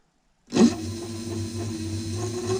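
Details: DIY dual 350 W hub motor electric scooter, rear hub motor tested alone, wheel spun off the ground with the display wheel-size setting at 24.4: a steady, even low hum with a faint whine and no clicks or grinding, motor running normally.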